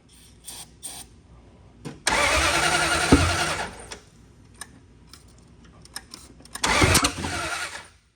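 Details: Duct-tape Dart V8, start attempt with fuel shot down carb: uneven lumpy cranking bursts that catch and die without settling; still not right.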